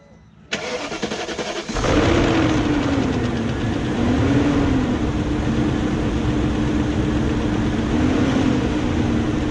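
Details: 2001 BMW E38 740i start after timing chain guide replacement and both Vanos units resealed, to check earlier ticking/dieseling sound: catches after short crank, settles to even idle with slight wandering hum, no ticking or clatter.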